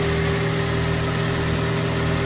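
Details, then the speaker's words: Smooth, even low idle hum with no knocks, ticks or misses from a 2005 Daihatsu Xenia Xi 1.3 manual (non VVT-i), 190,000 km, with clean oil on the dipstick. Healthy engine, normal idle. "Suara mesinnya halus. Kalau AC-nya lagi ini paling dari suara kipasnya aja."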